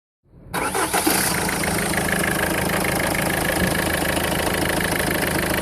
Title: Strange engine noise Peugeot 1.4 HDI 2004